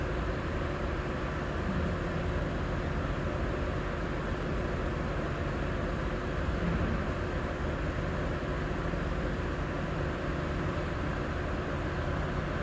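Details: Lexus IS250: steady low engine drone with an uneven, slightly lumpy beat, pointing to a cylinder misfiring; a burnt valve is suspected, not confirmed.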